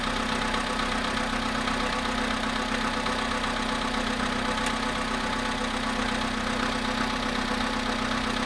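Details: VW Polo sedan cold start at about 0.5 °C after sitting 13 hours: light, fairly regular tapping, about two or three a second, over the steady idle; engine knock.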